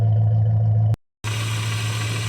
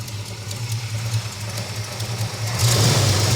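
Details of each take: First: 1969 Dodge Dart GT V8 with new carburetor, started after about 12 years sitting, idling in neutral: deep, even burble with steady low rumble, no knocks or misses; healthy idle. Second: 1969 Dodge Dart GT revived after nearly 12 years with a new Amazon carburetor: the choke re-engages and the engine runs super rough, loading up rich. The idle is lumpy with hanging throttle blips, blamed on a faulty choke pull-off/unloader and a weak return spring.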